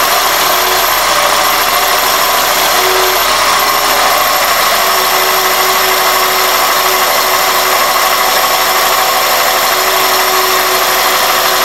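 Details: 2001 Toyota Corolla at idle with a thin steady high whistle that turns intermittent when the throttle is blipped; dirty throttle body and IAC valve, fixed by cleaning both and fitting new OEM gaskets.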